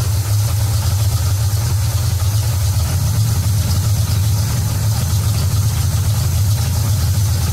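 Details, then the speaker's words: V8 with an Edelbrock Street Demon carburetor at operating temperature, idle mixture screws backed out until the engine smooths: steady, even low rumble at idle with no stumbles or misses; normal idle. "back it back out until you hear the engine smooth out you can hear it smooth out and kind of idle"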